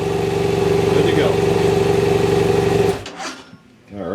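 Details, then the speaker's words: BMW F800 GS that came in as a no-start, run on stale old fuel from its tank: it catches and runs with an even, steady idle for a few seconds before shutting off. Normal idle. "But I do think it'll start the bike. It probably has you know, 70 or so octane. Probably gonna run too good, but it'll run."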